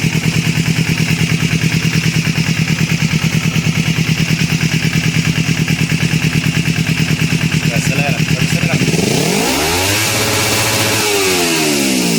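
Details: Kawasaki Ninja 250 after replacing the cam chain tensioner, which cured an engine noise: even, steady idle that revs cleanly near the end with no top-end tick or rattle; running normally.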